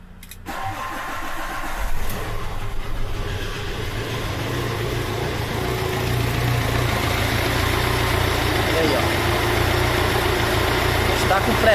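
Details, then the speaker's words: Fiat Ducato van diesel, cold start with an oil pressure gauge fitted; fires and settles into idle with a steady rattly knock; pressure only just over 2 bar versus the 4 bar expected; engine knock with low oil pressure. "Tá dando dois bar e pouquinho. Tá com pressão muito baixa."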